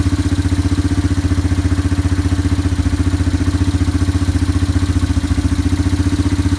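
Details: Yamaha ATV after carburetor cleaning and float adjustment (float reset about 4 times): a steady, even single-cylinder thump at about 220 beats a minute with no hunting or misses while it clears leftover WD-40 from the carb. Normal idle.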